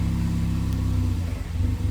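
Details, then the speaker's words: Ford EcoBoost engine at first startup after full teardown, battery disconnected and long unused: rough running and surging idle meant to sit near 900 rpm but dropping to 750–600, stutters and stalls; cam timing was off, later corrected. "so basically what you saw was the car running not very well but it was running idle was kind of surgi"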